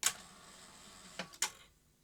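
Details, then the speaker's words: Philips N1702 VCR-LP video recorder powered on after desoldering the base of a transistor wrongly held on: sharp clunk, two quick mechanical clicks, final clunk as the tape unlaces properly and it switches off. "what should happen is the transistor switches off and the Machine should unlace okay I've desolder the transistor so what should happen when I switch it on now is you should hear it Go clunk and switch off"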